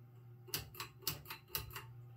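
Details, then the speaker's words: Mid-to-late 1980s King of Fans Grenada 52" ceiling fan at low speed: low hum with sharp rattling tick about four times a second from vibrating motor housing; bearings quiet. "the bearings on the fairing are pretty quiet most of the noise you hear it is a vibration in the motor housing"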